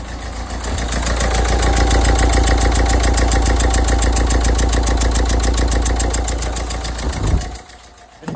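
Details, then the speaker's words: Renault Megane 1.5 dCi diesel with hiccup and power loss: lumpy, uneven idle clatter about three and a half beats a second, revving oddly, then shuts off; faulty injector on cylinder 3, confirmed by swapping with cylinder 2. "definitely rev funny again"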